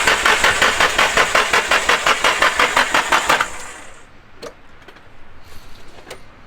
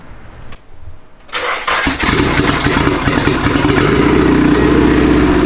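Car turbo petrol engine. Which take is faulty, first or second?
first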